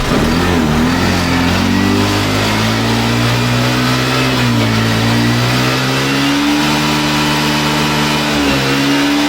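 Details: Access 125 scooter, warmed up, after fitting the missing bush inside the hose pipe to cure repeated misfiring. Revved up and down cleanly, pitch rising and falling smoothly with no stumbles or skips; firing evenly, misfire fixed.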